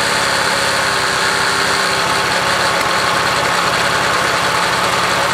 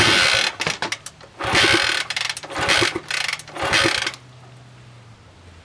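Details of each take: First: 1966 Honda CL90 (owner unsure of year), rebuilt top end, idling after debris was cleaned off the ignition points: quick, fairly even putter with no misfires; running properly now the ignition is sorted, wants to run good. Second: 1960s Honda CL90 (about 1966) powered from a 6 V variable supply, with fuel poured into the carburetor and the tank empty: several kickstart strokes turn it over but it never fires; inconsistent to no spark.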